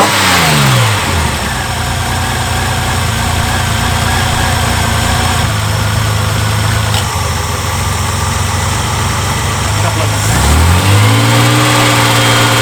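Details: Reliant Scimitar (Ford engine) after tappet adjustment to spec, oil topped up, plugs cleaned: blip settling to idle with light, fast metallic tapping, characteristic Ford tappet rattle persists; exhaust gasket suggested but noise sounds more metallic; source unconfirmed.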